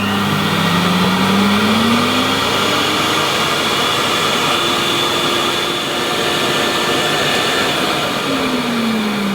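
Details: 1988 Hoover Compact Electronic S3462 1000 W cylinder vacuum, set up to measure suction at the hose end (about 66 on the gauge): loud, steady air rush over an even motor hum holding its pitch, slow wind-down after; normal full power.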